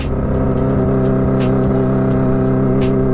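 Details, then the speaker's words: Motorcycle riding with throttle held: steady engine hum broken by irregular sharp pops about three times a second; misfire, rider suspects a dirty original spark plug. "Soalnya kalau ditahan ada suara nembak-nembaknya, itu busi. Duk suaranya."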